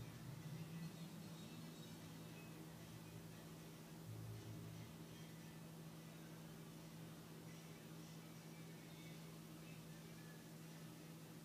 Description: Strange whining noise from passenger side near the engine block when hood was opened. Key was not in ignition.